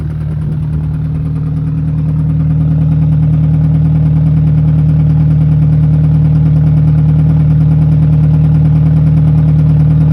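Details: Alfa Romeo 156 1.8 at steady idle: a regular knock about four per second over a low hum, coming from inside the engine, cause not yet found.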